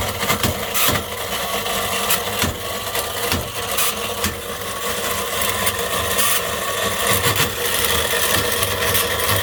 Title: sewing machine motor run on 400V but had a mechanical bearing failure